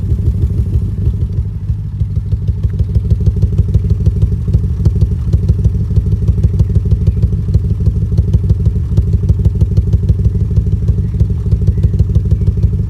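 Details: 2005 BMW 650i 4.8 V8, cylinder 5 misfire for a year, worse after 2 minutes as idle drops: lumpy idle with deep thump about three times a second; plugs, injectors, coils, VANOS swapped without fix.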